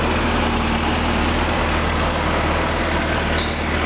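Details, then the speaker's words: 1990 VW Jetta GLI, about 91,000 miles, warm restart after driving home; idles smoothly with a steady, even petrol hum and no knocks or misses. Owner reports hard starting and an odd noise only at 3,000 rpm. "seems to idle just fine other than that no problems word"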